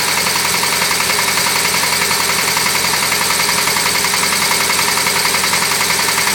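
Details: VW 1600cc air-cooled engine that overheated: steady sharp knock about 160 per minute over a rattly idle, hammering harder with revs; rod knock from a worn connecting rod bearing.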